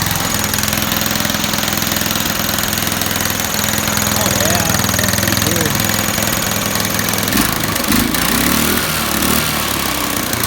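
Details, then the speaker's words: Home-built mini bike, small single-cylinder: putters fast and fairly steady, faster than a relaxed idle. Idles high; the idle screw adjustment isn't helping, and the owner wonders about the needle setting. "ms to be starting fine idles a little high I don't know if I have to change the needle pitch you know up or down to see if it's you know that's it"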